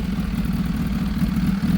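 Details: Kawasaki ZH2 with a newly installed BLR Tuning 3-port catch can and a blow-off valve, warming up: steady, even idle with a smooth low rumble and no knocks or rattles; normal warm-up idle.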